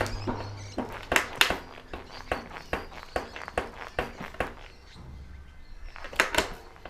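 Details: Fox Float RP23 Adaptive Logic rear shock knocking sharply and hollowly, about twice a second, on each rebound after days of excess stiction. The bushing (replaced 5 months ago) and bearings (3 months ago) are doubted as the cause, and pivot bolts are tight; the cause is unknown.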